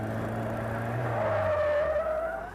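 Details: Skip Barber school race car: when the tail steps out, too much power is applied instead of a little, and the car spins. A sustained high tire screech rises over the engine drone as grip is lost.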